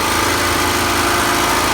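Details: Champion generator, a Honda-clone small engine, on its first run after the carburetor was replaced with an aftermarket unit: steady, even drone with no misses, surges or knocks, holding speed smoothly. A normal idle.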